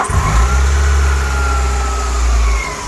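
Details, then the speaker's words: Alfa Romeo 145 Cloverleaf with 111,000 miles, cold start: quick crank and catch, smooth even idle with no start-up tapping, so the cam variator is healthy and the engine sounds reasonably healthy. "Now, which there isn't one, so the variator in this is pretty good. The engine starts up fairly fast as well, so you can tell it's reasonably healthy for a car which has done 111,000 miles."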